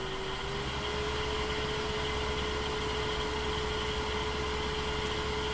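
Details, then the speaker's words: Laguna 24/36 woodturning lathe with a three-phase 220V motor, turning an out-of-round piece: even motor hum at a steady pitch; the low-rpm wobble goes away at higher rpm and it runs smoothly. "but the wobble comes out of it at a little bit higher rpms and handles it a lot better"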